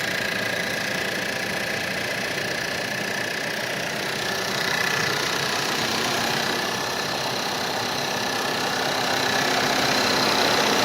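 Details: 2012 1.8 TSI Combi on a cold start at idle, fast, somewhat uneven tapping of about four knocks a second over a bright mechanical clatter, suggesting a cold-start engine knock.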